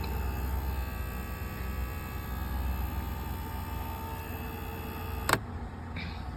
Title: 2003 Lincoln Towncar buzzing sound.